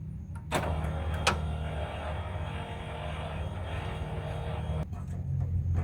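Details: Passenger-side pop-up headlight motor on an 87-92 Firebird, still failing after a rebuild with new bushings, gear and gasket: a faint whir runs for several seconds with a couple of clicks, yet nothing lifts; an internal spring has popped loose.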